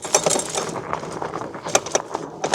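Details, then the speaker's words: Cyrusher Aura 26-inch fat-tire e-bike with torque sensor, ridden seated at low speed over rough rocky ground: irregular bursts of light metallic clatter with each jolt as the chain slaps. "Voyez, on entend la chaîne qui claque quand c'est vraiment du chaotique."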